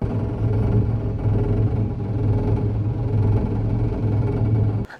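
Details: Saab engine drone with a buzzy metallic rattle from a loose exhaust heat shield underneath the car.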